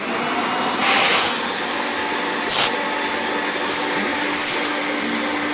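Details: Kirby Generation 4 80th Anniversary vacuum after replacing suction fan: strong steady high-pitched whoosh, pitch rising briefly as nozzle moves, running full power; safety switch sometimes sticks, held with screwdriver.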